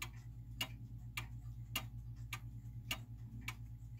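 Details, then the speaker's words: German wall time/strike clock movement in beat: crisp ticks just under one a second, evenly spaced between tick and tock, with a steady beat and no limp. "so a clock in beat means that it's an even spacing between the tick and the talk right so that's pretty even"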